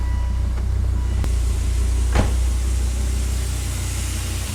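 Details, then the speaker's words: Volvo S60R after head repair for a burnt valve, codes P1167 and P2135 present: deep, even rumble with steady firing, no misses or ticking, less smoke; runs much better than with the burnt valve. "definitely less smoke so that's good that sounds a lot better than it did when it had the burnt valve"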